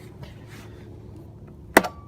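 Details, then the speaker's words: Toro Wheel Horse 270H hydrostatic lawn tractor, about 1000 hours, during no-start interlock troubleshooting: quiet background then one sharp click with brief ring as the PTO blade clutch engages; fully operational. "can hear this is fully operational"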